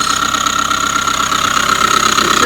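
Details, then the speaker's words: 2005 Subaru Forester 2.5 SOHC boxer, incorrectly done earlier timing belt job: steady high-pitched whir with fine rapid chatter at idle behind the timing belt cover; failing timing belt tensioner or idler pulley bearing. "So, what they tell you, the timing belt tensioner or an idler pulley or something inside of there is making all this noise."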